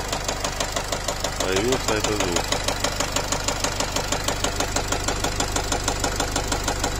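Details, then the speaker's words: Nissan X-Trail 2.0 dCi diesel, warmed to 80 °C with injector corrections rising sharply: hard metallic knocking about three times a second over idle, like a piston hitting, smelling of unburnt diesel; disappears on revving. Cause suspected, not confirmed. "Та-та-та. Такое впечатление, что поршень лупит."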